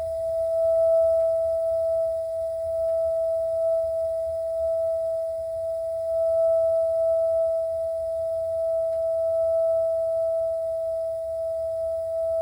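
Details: A.O. Smith water heater giving off a steady, pure singing tone at one unchanging pitch; tonal humming, cause unknown.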